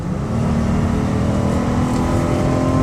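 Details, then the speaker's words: 2011 Dodge Caravan SE wheelchair van, 231k miles, V6 under hard throttle on a highway test drive up to about 65–70 mph after service including motor mounts and intake gaskets: smooth, even engine note climbing steadily, no knocks or misses; normal acceleration. "I'm giving the van some hard gas. Certainly not a race car, but it does get up 70 miles an hour, no problems."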